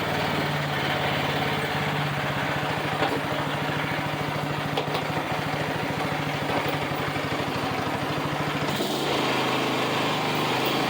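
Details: $25 Craftsman riding mower, refurbished with new belt and deck reinstalled: even, steady single-cylinder beat at fast idle with no misses or knocks; normal running, smooth and healthy.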